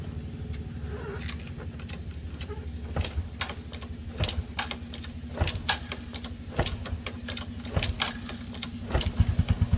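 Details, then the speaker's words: Yamaha Sirius Fi with a dead battery, kick-started: a steady low single-cylinder putter with even ticking, settling into a normal idle. "nó chạy đó bạn nghe hết xe chạy bình thường đó"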